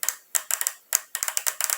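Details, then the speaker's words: HHO hydrogen injector solenoid, freed after sticking from overheating, pulsed on the bench; crisp, sharp ticks in quick bursts show it moving freely; a stuck injector makes no sound; normal clicking. "mas esse barulhinho tá fazendo movimento quando ele tá travado ele não faz esse barulhinho ele não solta ele fica travado"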